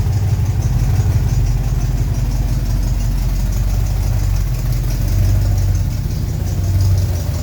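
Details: Second test run: deep even engine hum with slight revving and no high belt squeal; V-belt no longer squeals, normal belt drive.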